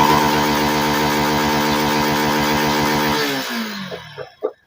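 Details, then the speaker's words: Yamaha FZ V3 BS6 motorcycle, starts but dies at idle: engine runs briefly at a steady buzzing pitch, then sags and dies within a second; ignition checker shows spark present but the weak ignition coil stalls it. "இதை வச்சு நம்ம check பண்ணி பார்க்கலாம் இக்னீசியம் நல்லா வருது ஆனா உடனே of ஆகுது"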